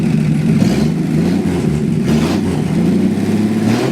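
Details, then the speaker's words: Chevy 1949 with a 250 cubic inch inline six, start after hooking up the ignition with a splash of gas in the carburetor: runs smooth and even, picking up cleanly through light revs with no knocks or misses; normal running. "2 days in a row. 2 days in a row. Runs sweet. It does. 250 cubic inch inline 6."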